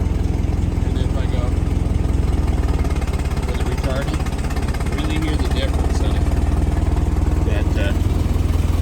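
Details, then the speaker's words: 1923 Ford Model T Roadster with electric start: after pulling the timing lever, engine smooths right out into even, steady chuffing about three and a half beats a second with no misses; normal idle. "there you can hear the sound of it when I change the pull the lever the end it Smooths right out much smoother"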